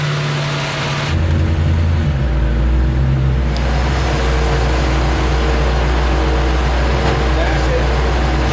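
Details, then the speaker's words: Near-scrapyard Corvette C4 V8 first start with new spark plugs, coil and plug wires: it fires right up and settles into a steady, even low rumble with no misfire; normal running. "I don't think as a misfire it does [Music] Oh super-pumped fired right out"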